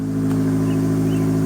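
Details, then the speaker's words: 2013 Dodge Dart 1.4 turbo with P0299 and other boost codes, first cold start after reconnecting the negative battery terminal: smooth, even idle with a steady low hum, no knocks or misses; an easy, normal cold start warming up. "that was probably the most easy cold start I've heard this thing have in a while forever that's normal it always did that yeah it's still it's warming up"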